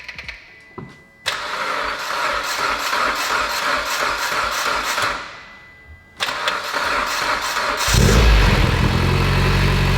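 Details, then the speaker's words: Mitsubishi Evo X engine about 75% reassembled, first start after repair: the earlier noise is gone and it settles to a steady idle with only the normal light, even injector tick. Owner suspects a stretched timing chain was the cause. "the noise is gone the noise is completely gone i hear the typical injector tick and that's about it"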